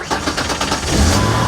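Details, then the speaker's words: 2003 Ford Explorer restarting in neutral after it died when a plug was pushed; brief crank then catches and rises to a steady, even idle without stumbling; normal start. "There it is. It started. All right, now since I have it running, before I mess with that anymore, I'm gonna try to get this back home, hook that battery up to a charger."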